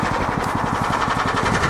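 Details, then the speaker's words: Club Car golf cart after engine swap (ARC cone filter with K&N, ARC throttle linkage, governor bypassed), started cold and idling around 1200 rpm, recorded at the exhaust. Quick, even pulses, no misses or knocks; runs well. "as you can hear, runs very well. Nice pop off."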